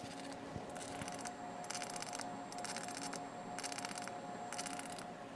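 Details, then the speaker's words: Redi2Weld-3 MIG/TIG combo doing hot-wire TIG pipe root pass with oscillated wire: steady arc hiss with crackling pops about once a second as the hot wire short-circuits, as intended. Normal hot-wire TIG popping. "that popping noise that you hear there that's actually the short circuit of the hot wire that's something i want to hear while this thing's welding"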